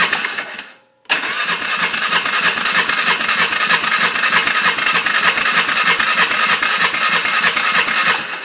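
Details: Polaris Sportsman 500 after carburetor rejetting: steady starter cranking at about three turns a second without catching; long crank, hard to start, fuel priming suspected, not confirmed.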